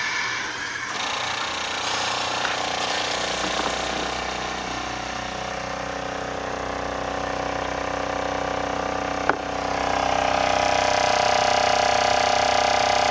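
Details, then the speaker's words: RV water pump after fitting an accumulator tank and silencing kit, heard inside the camper: steady even hum with a faint buzz, no knocking, much quieter than before. "let's go back here you can hear it but it is a lot quieter A lot quieter"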